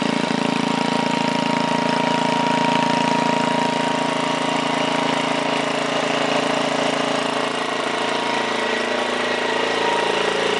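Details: 1968 Briggs & Stratton 7hp 275cc horizontal engine restarted at 3/4 throttle, no load: steady even beat, smooth with no knocks; owner says full throttle may need a tiny adjustment but it runs just about perfect.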